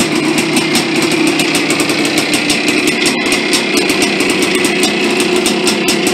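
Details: 1983 Yamaha IT490K two-stroke, first start after engine rebuild; crisp rapid even popping at steady pace, no misses or knocks: normal running.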